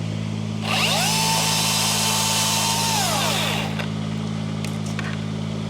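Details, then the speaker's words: Chainsaw on a maple-pruning tree job, first of the season, revs cleanly into the cut, holds a steady even scream under load, then drops back smoothly; sounds normal. "Yeah, I was gonna say it sounds normal. I mean, I guess we'll see how long it lasts."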